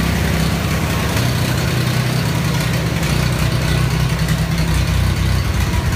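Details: Ford 3000 gas tractor: the engine lopes unevenly, its low beat wavering and missing now and then instead of settling. The owner is weighing spark plugs, fuel additives or a carb cleanup; rough running.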